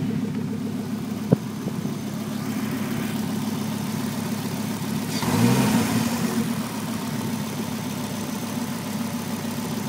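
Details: 1996 Volvo 850R on 93 octane at stock boost: a steady idle with a light, fairly quick tick from the driver side of the engine and one throttle blip, sometimes quiet; the owner can't tell whether it's normal.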